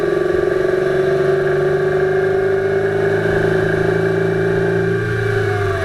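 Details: 2008 Subaru Impreza 2.5i flat-four on a short drive, camera above the driver-side timing belt cover: dull, uneven knock at mid revs, loudest near 2500 rpm at light-moderate load in any gear. It fades with more load, is absent without load and below 2000 rpm, and is somewhat rod-knock-like; cause unknown.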